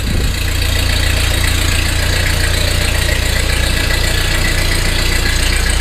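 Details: 1948 Ford 8N tractor, first start after complete engine rebuild, in neutral with a little throttle and choke: steady regular low chug about three beats a second, no knocks or rattles; idling fine with good oil pressure.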